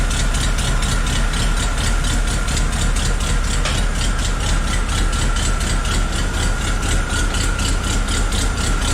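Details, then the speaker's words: Willys Jeep engine just restarted, in neutral, still on choke, brought up on revs; runs fast with uneven lumpy beat about twice a second and faint rattle; needs idle work; rough idle. "Ok. We've got some work to do on the idle there."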